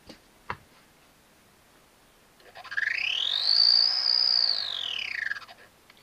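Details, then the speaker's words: Sky-Watcher AZ-GTi mount, stiff with guiding degraded to 1.6–2.0", RA axis slewing in a test run partway through its rebuild: loud, shrill motor whine sweeping up and back down; abnormal drive noise, cause unknown until the cover is removed. "I think you'll all agree that doesn't sound right at all. So something's quite amiss there, so we all shall take the cover off and see if we can see what's going on."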